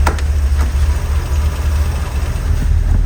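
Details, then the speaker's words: Car with remanufactured original Quadrajet 1708 carburetor, restarted warm at about 190°F after the choke cover was reinstalled: deep, steady low rumble at about 700 rpm, no stumbles or misses; smooth warm idle. "let's see where we are here it's right at 700 right [Music] now"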